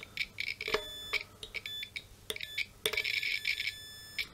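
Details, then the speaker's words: Guitar with buzz when strings aren't touched: multimeter continuity beep sounds in several bursts as probes touch the input jack and switch, confirming the ground connection is complete. "So if we put this on the inside of the input jack and we touch, for example, the switch, we get a sound because the ground connection is complete."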